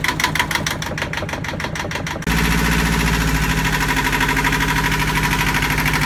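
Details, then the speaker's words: Yanmar marine diesel on a sailboat at its first start after fresh diesel, new batteries and priming: a few seconds of cranking, then it catches into a steady, even chug with no knocks, healthy. It later stalled from air in the fuel lines. "so yesterday we get the engine started and it ran for about five minutes happily it sounded great"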